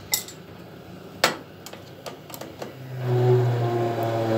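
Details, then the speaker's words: Baymak Falke 24 Fi combi boiler with cover and lower panel removed, hot water tap open; metal clinks from panel handling, then a steady low drone with a tonal hum; noise on hot water demand suspected to come from the 3-way diverter valve. "Şu an arkadaşlar gördüğünüz gibi sıcak su açık. Cihaz ses yapıyor. Genelde Baymakların bu modellerinde 3 yollu gider arkadaşlar."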